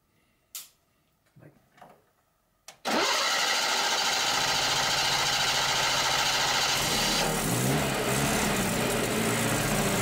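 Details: Datsun 120Y after carburetor ultrasonic cleaning, fuel drain, cleaned points and a new battery; after a few failed tries it catches, idles steadily, then revs cleanly. Now runs and revs almost perfectly, though the ignition still makes it very hard to start.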